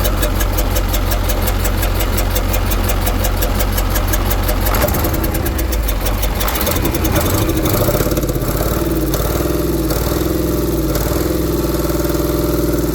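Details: KAMAZ diesel truck at idle; uneven rapid clatter at first, then note settles lower; engine knock.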